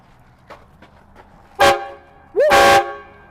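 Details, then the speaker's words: Air train horns just installed on a Duramax truck, compressor in back on a 10 amp circuit and trigger wired to the horn fuse: two loud bright blasts, the second longer with a quick pitch rise; horn working, crazy loud. "that's so loud levi is that crazy loud yeah yeah it's crazy loud"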